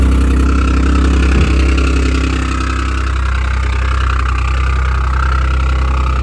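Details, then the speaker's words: 2014 Audi S5 APR Stage 2, resonator delete, 131,714 miles: loud, deep cold-start rumble with a rough, puffing tick that then clears up. An exhaust manifold leak between manifold and head. "This has an exhaust manifold leak between the exhaust manifold and the head. Whenever I go to start it, will be a little noisy, but I want you to hear exactly what it sounds like."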